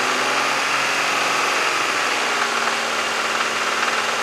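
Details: 1996 Mazda MX-6 with engine knock that otherwise runs and drives fine, service engine soon light on: rapid metallic knock rising with revs; owner suspects a bad valve or a failing rod bearing, unconfirmed.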